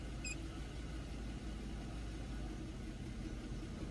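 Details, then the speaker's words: 2011 Chevy Equinox at idle, EGR valve commanded progressively open (23–29%) with a scan tool: low, uneven, labouring idle that sags and misses at about 500 rpm. Rough idle from the open EGR. "then 23 it kind of sounds like it's like struggling to idle and it's even lower than it was before and then 29 it kind of sounds like it's missing and it's only at like 500 rpm"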